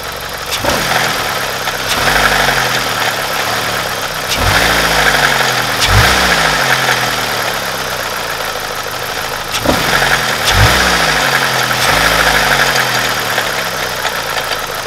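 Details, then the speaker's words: BMW N42 petrol engine idling with a busy metallic timing chain rattle; faulty exhaust-side camshaft adjuster (VANOS). "Das heißt, wenn man einen Rassel hat und Stecker hier abzieht und das Rassel so gut wie weg ist, dann ist es meistens immer Auslassseite, die kaputt geht. Und bei dem ist es auch das Problem."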